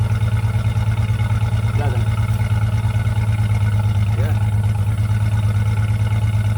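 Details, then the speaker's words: 2004 Jeep Liberty 3.7L right after a new muffler and tailpipe were fitted and hung. Steady deep exhaust drone, a little louder than before, with an even pulse and no rattles or leaks; normal exhaust note. "So, now let's just crank it up and see what it sounds like. It sounds louder, a little bit."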